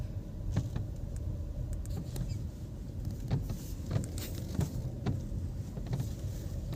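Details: VW Taigun/Virtus, while driving: light irregular ticks and rattles over steady low road rumble from all doors; door seal beading rubbing and rattling.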